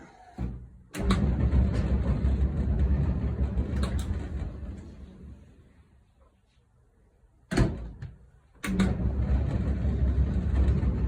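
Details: Whirlpool dryer that would not stop with the door open, after a £6 parts fix: a couple of door clunks, then the drum settles into a smooth, even low rumble with no knocking or scraping, running normally.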